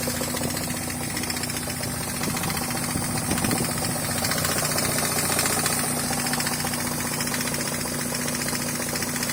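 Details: NA Miata, engine bay then toward the rear, at idle: fast uneven knocking about four per second; crank pulley loose, likely after previous owner's timing belt job, woodruff key within 100 miles of shearing.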